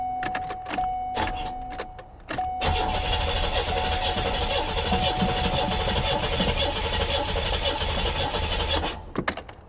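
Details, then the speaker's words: Salvage car at Copart auction: starter grinds the engine over for several seconds at an even cranking rhythm, but it never catches or fires; crank, no start. "let's see if we can crank her over guys oh hell it ain't doing nothing"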